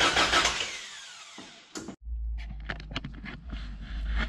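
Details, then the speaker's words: 1988 Toyota 22RE after head and valve train replacement, first start attempt: the starter turns the engine over steadily but it never catches or fires; not getting fuel. "went through the engine obviously you heard it try to start we figured out that it wasn't getting fuel"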